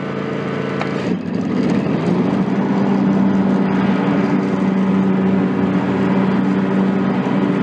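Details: John Deere X300 rider, Kawasaki FH engine, 17 hours, after fixing the stuck fuel shut-off solenoid: steady, even drone holding firm under throttle, clutch engaged; normal running after repair.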